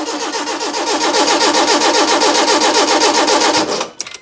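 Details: Proton Wira off the road for 12 years, cranked with fuel line open: starter turns the engine evenly about three and a half beats a second, never fires; seized fuel pump, no fuel delivered.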